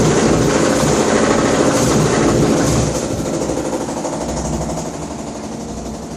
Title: #3 Washer Loud noise about to explode